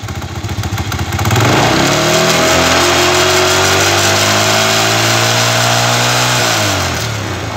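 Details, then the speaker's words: Chinese 125cc kick-start motorcycle engine with iron cylinder, testing another AC CDI: revs up, holds a steady, slightly dull high note for several seconds, then falls away; this CDI starts badly retarded, then advances, and struggles at the top. "Bueno este como pudieron ver hace algo totalmente opuesto a lo que hacen los otros este arranca super atrasado cuando está atrasado empieza a adelantarse"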